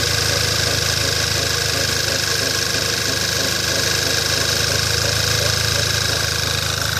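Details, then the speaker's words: Skoda Octavia A5, cold: engine idles evenly under steady high-pitched squeak and rubbing chirp, appearing about a minute after start, owner thinks not the alternator; source unconfirmed. "Был слышно не был такой звук как что-то трёт кык кык кык кык что-то в этом роде"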